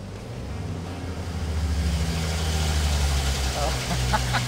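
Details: Worn Ford 300 inline six on the dyno after sitting 20 years, pulling under load from 1200 to 3000 rpm: deep, steady drone that builds evenly with no knocking, rattling or misfire. Made 224 lb-ft of torque and 82 hp at 2900.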